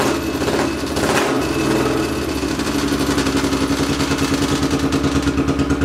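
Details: 800cc lawn pulling tractor engine, first test run in neutral with clutch pushed in, air box and half carb covers fitted; quick rev, then deep loping rumble settling into steady pulsing idle; sounds much better, normal running.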